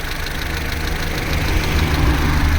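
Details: Vauxhall Corsa C, Z14XEP petrol engine, 86,000 miles, cold idle from start-up to about 6 minutes: a steady, low idle with no rattle on top. The timing chain rattle only becomes pronounced at full operating temperature.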